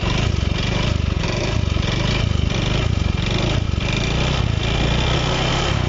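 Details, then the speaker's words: Honda Beat Eco (digital) scooter at fast idle: an uneven, rattly pulse over the exhaust beat. The noise is mild at idle, and its source (engine front, middle or CVT area) is not yet pinned down. "saat posisi langsam saat posisi stasioner tidak begitu terdengar parah ya ada sedikit melirik ada nada sedikit bunyi tetap Kalau dari sini lebih jelas terdengar suaranya ya"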